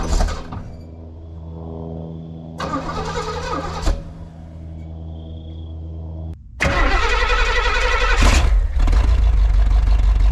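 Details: 1968 Pontiac Grand Prix big-block V8, first start after years sitting: catches after cranking, idles lumpy with a stumbling uneven beat and rough revs; misfire from plug wires 5 and 7 crossed.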